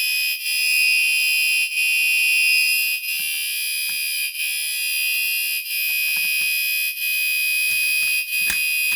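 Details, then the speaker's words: Newly installed fire alarm tested from a reset pull station, before being changed to code 3: a high shrill horn tone sounding continuously with brief dips about every second; the horn is working normally. "1 okay that sounds working so let me go ahead and change it and see how it's supposed to [Music] look"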